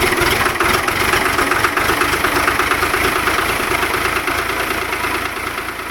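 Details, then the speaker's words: Diesel started in single-digit temperatures after overnight 150 W oil pan and 60 W battery heaters, oil about 50°, with glow plugs: catches easily and settles into a steady, even clatter with no misses or knocks. "well as you can see there cranks a lot easier for uh still being single digits out here you know yesterday versus today"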